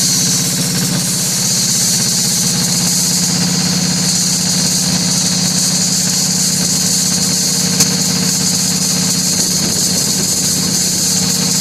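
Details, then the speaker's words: Kohler KD425-2 diesel in cold weather after leaking fuel lines were fixed: loud, steady clatter at an even idle with no misses or knocks, a slight high-pitched two-cycle-like tone. Normal idle. "right there, I can hear a little bit of that two-cycle tone I was talking to you about."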